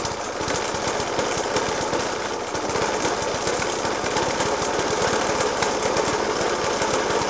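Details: Suffolk Punch 30S lawnmower (1991 era) with Dellorto FCH 20 carb: rapid harsh hammering bangs through a rough, uneven idle, persisting after spark plug change, decoke and carb clean; cause not pinned down.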